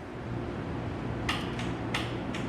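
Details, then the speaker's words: Cold-natured tractor (930) diesel with grid heater: a few sharp, irregular relay clicks over a low steady hum as the grid heater switches on and works normally before starting. "you can hear that clicking and that that grid heater is working because it's a little bit cold natured but if you use that grid heater and hit it a couple times it'll fire up"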